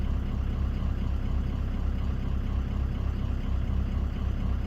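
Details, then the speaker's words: 2004 Ford F250 6.0 Powerstroke diesel at low idle during scanner active tests; low, steady rumble with an even beat near four per second, no knocks or misses — normal idle. "Start engine on low to idle. Now we're idling. Here we go."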